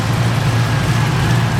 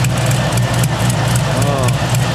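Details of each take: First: 1969 Camaro idling after a header gasket swap: steady, even low rumble with no ticking on this bank, which seals well and is super quiet; the other side still has a slight exhaust tick. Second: 1969 Camaro V8 at idle with headers: a sharp puffing tick over the rumble. The exhaust leak at the header flange persists after fitting copper gaskets, as with the previous factory MLS and Holley gaskets; the flange is suspected to be warped.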